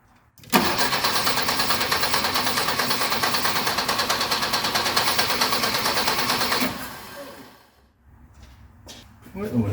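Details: 1976 BMW 2002 hot-rodded in the 80s with Weber carbs at base settings, big camshaft, long-tube headers and ANSA exhaust, first start after sitting years: engine catches, runs rough and uneven about six seconds, then stumbles and dies; hard start, cause unclear.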